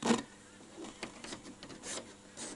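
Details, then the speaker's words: Panasonic SG-J500L radio cassette record player, first power-up after years in storage: irregular scratchy crackles and pops as the volume control is moved, output very quiet; owner suspects dirty controls or switches. "we may have an issue with these switches because obviously you can hear lots of noise here on this volume"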